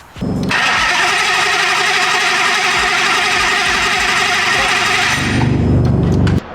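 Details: Dodge Viper with Hellcat Redeye swap, fresh engine: starter cranks by itself with key in on position, voltage dropping near 10 V, steady whir about six seconds with no catch; cranks continuously but never starts.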